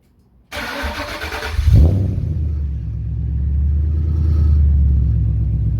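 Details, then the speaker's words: Ford 5.4 Boss V8 in a Falcon XR8 (BA-FG) started after replacing old plugs with double platinum spark plugs: quick crank, catch and flare, then a steady even low rumble with no misfire. Healthy. "There you have it. Purring like a kitten. Sounds like it's all good."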